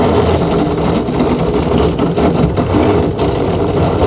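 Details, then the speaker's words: Samsung 7 kg top-loader washer after fixing drain motor and refitting clutch assembly (was noisy, drum not spinning): steady low rumble of drum spinning evenly, no knocking or grinding; spin normal. "Now machine is running well. It's spinning, you can see here. Drum rotating. No any abnormal noise also."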